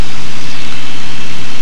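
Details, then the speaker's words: RV7 run-up with the prop cycled three times to push oil through the governor. A loud, steady deep drone holds constant speed with no surging, popping or roughness. Oil pressure and temperature are in the green; a normal run-up. "We'll do it 3 times. Make sure the oil is running right through the governor nicely. Looking good."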